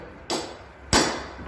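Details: Mazda 626 Cronos: two sharp metallic clunks as the ball joint is rocked by hand; known weak spot, worn steering knuckle (цапфа) no longer holds the ball joint.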